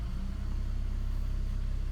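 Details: 2002 Saab 9-3 SE after head gasket replacement, idling around 900 rpm: an uneven pulsing throb with slight shakes; it bogs and stalls on throttle, and the lights dim; cause not pinned down.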